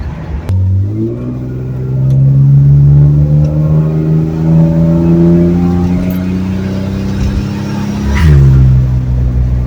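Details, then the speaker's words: 1970 Ford Torino inline six turbo with new exhaust system, driving: smooth even engine note climbing through the gears, no rasp, drone or leak puffs, pretty quiet; normal exhaust note while driving. "well this is already a ton better I'm sure you can probably hear me a lot better than usual it's actually pretty darn quiet"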